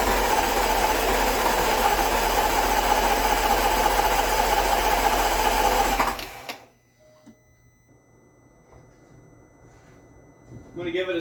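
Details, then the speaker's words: 2016 Range Rover L405 Autobiography 5.0L after timing failure repair and full engine rebuild, first start: six seconds of fast, even starter whirring, no catch, then cranking stops; long cranking needed to build fuel pressure. "this has got to build fuel pressure it's going to take a long time to crank to get this thing running"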